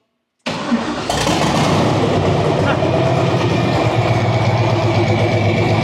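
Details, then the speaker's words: Model A sedan with a newly installed used engine, first start after hosing off and running the pump; silence, then it catches right away and settles into a steady, even idle with no knocks or misses; starts and runs clean. "That sounds good. Not much. Awesome. Oh, that's awesome. Right on."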